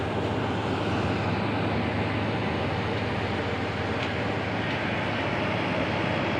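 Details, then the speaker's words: 2.5 HP old-model aircon compressor (LRA 58) under repair, running after a loosely plugged compressor wire was fixed: steady, even hum with a low mains drone, no knocking or cutting out, line sweating and cold; normal running. "A una na yung problema mga katropa ah hindi nila gaano nakasaksak yung sa wire sa compressor aan siya Nagmo-moist na oh. Moist na. Malamig na yan mga tropa."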